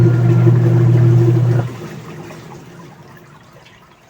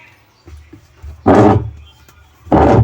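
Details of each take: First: Union Lavamatic washing machine after gearcase replacement, test with water: strong, even motor hum with water churning, no grinding or knocking; agitates normally, no leaks. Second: Union Lava Matic washing machine: loud, rough grinding bursts over the motor hum on each agitator stroke. The owner said a coin got inside. The diagnosis is a worn gear case (gearbox), which is to be replaced.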